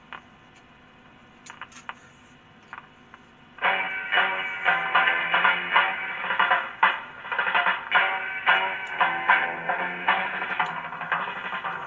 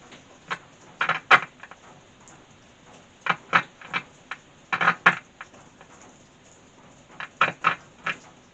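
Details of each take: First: playback's okay you can hear from that Second: E.A.R. Mascot tape recorder (Perdio-era), worked on without a circuit diagram: irregular bursts of sharp crackling clicks over quiet background during playback; crackle persists, cause not pinned down.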